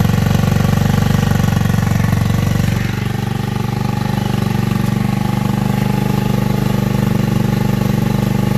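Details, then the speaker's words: Tao Tao Racer 49cc scooter, single cylinder, running: steady, fairly low thump with slight unevenness. Owner says it bogs out and needs valve and rich/lean mixture adjustment; CDI is a J&J Power Sport high-voltage unit. "I didn't record but what I was saying the bike it bogs out it runs the CDI right here"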